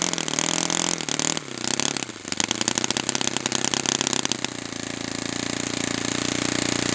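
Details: Brand-new Saito FA-100T twin on a test stand, first break-in run after choke priming: fires up, stumbles briefly, then settles into a steady, slightly blubbery high-speed buzz; rich setting with oily exhaust, not lean, running fine.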